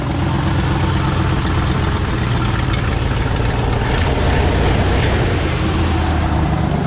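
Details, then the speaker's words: 1968 Ford F100 V8 idling after its ignition problem was traced to the coil and fixed; a deep, steady rumble with no misses or stumbles, running again. "Ole Puddin's running again."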